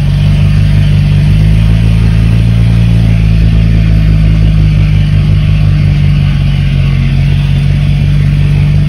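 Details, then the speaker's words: BMW 335is with swapped-in N54 engine after coding: even, steady idle with a deep smooth hum and no stumble; normal idle, though old bad fuel still to be dumped. "let's clear that old code out from the misfire for cylinder six and everything sounds sounds good"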